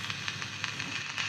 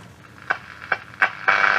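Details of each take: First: 1963 Romanian Carmen 2 valve radio on medium wave, no station: irregular sharp crackles and sizzling pops over faint hiss; audio amplifier works but nothing upstream; intermittent fault suspected. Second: 1963 Romanian Carmen 2 radio under restoration, after fitting a 470 mica capacitor to get the oscillator working: clicks then a steady high whistle as the dial moves, tuning in stations midafternoon; working receiver tuning tones.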